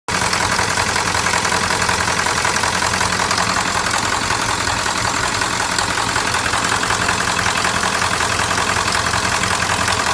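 Loud, steady sharp clatter at idle, roughly three raps a second over the engine drone; heavy diesel knock, possibly from the injectors.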